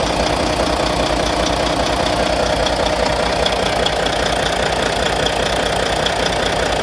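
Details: Volvo VNL D13 diesel at idle after injector replacement: sharp, even tapping about 2.5 times a second, like a ticking lifter or valve; the cause is suspected, not confirmed.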